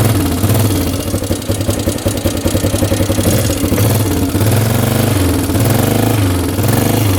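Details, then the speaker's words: 1998 Yamaha Grizzly 600 ATV idling cold with a light, quick valve tick over the exhaust thump; owner thinks the valves are probably loose. It won't exceed 10 mph at full throttle and keeps stalling, but shows no smoke. "I can hear the valves ticking in there, so those probably aren't tight."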